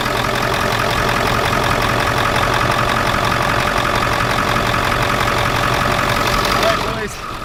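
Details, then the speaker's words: 7.3 turbo diesel van at steady idle after new alternator fitted and serpentine belt rerouted correctly; charging, no dash lights, even diesel clatter, no belt squeal or chirp — normal healthy idle. "As you just saw, guys, the old 7.3 is running good now, and we've acquired Justin."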